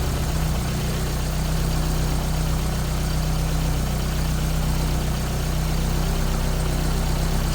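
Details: Toyota AE86 with Blacktop 20-valve four-cylinder swap, first start after new Mishimoto radiator installed following water pump failure from clutch fan: even steady idle, smooth low thrum, no knocks or misses, healthy.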